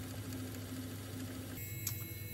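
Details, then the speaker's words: Mastertronic water analyzer during a reference fluid test, motor starting and filling the rinsing chamber: low, steady small-pump hum without knocks or rattles, shifting tone as it fills; normal pump motor running. "now you will hear that the a motor is starting and filling this rinsing shingle still do nothing and just observe"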